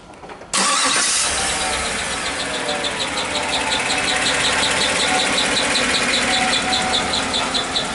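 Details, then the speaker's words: 2016 Chevy Suburban noise heard between engine and transmission on lift, initially thought a belt: busy idle with fast light ticking; engine found still two quarts low after oil change, suspected low-oil internal noise, torque converter unchecked. "so chances are it could have been that the engine was really low on oil"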